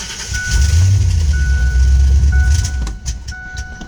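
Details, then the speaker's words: 1996 Ford Explorer 5.0L 302 V8: cranks, then runs a deep rumble about two seconds only on carb cleaner sprayed into the throttle body, then dies; relay, fuse and inertia switch checked, fuel pump dead, no fuel delivery. "yep starts on carb cleaner fuel pump's dead"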